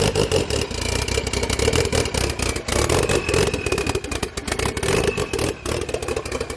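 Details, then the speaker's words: First start after FP Red turbo install, open downpipe (no downpipe fitted): very loud raw blare with uneven rasping blips and revs, no knocks or rattles; sounds like a drag race car, running clean, no leaks seen. "Sounds like a drag race car. Yeah. That's how they should be. That's kind of fun. Sick. No leaks."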